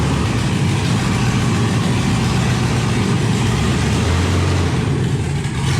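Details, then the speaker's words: LS-swapped 1971 Impala V8 that died when revved and since runs on only three to five cylinders: rough, uneven low rumble at a steady fast idle. "I went to just rev it up a little bit and it died and since then it only ran on like three four maybe five cylinders at most"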